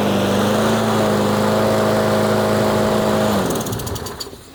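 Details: Troy-Bilt 21-inch mower with a Briggs & Stratton engine that wouldn't start, test-fired after carburetor ultrasonic cleaning and fuel line replacement; the leak was from the fuel line. Even, steady single-cylinder drone, no misses or surging, then a clean shutdown.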